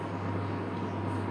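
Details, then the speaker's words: Pellet stove repaired for a SIC fail alarm, running after a new fan was installed. A smooth, constant low fan hum with no rattles or scraping: normal running. "so you can hear that fan kicked in and going throw it up and see how hot this sock gets it's running"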